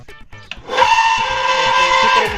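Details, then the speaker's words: Texmo 0.5 HP (0.37 kW) 2900 rpm water pump motor, 6203 bearings: spins up to a steady high whine with a rough rubbing growl underneath; noise from worn bearing, motor to be opened. "तो चलो इसे खोलते हैं क्योंकि इसमें बेरिंग में ही आवाज़ है।"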